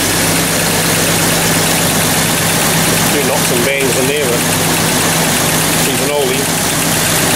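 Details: 1994 Jeep Cherokee, towed in with no-spark no-start, after replacing faulty crank sensor on left side of bell housing: steady even idle with low constant hum, no misses, knocks or stumbles; normal idle.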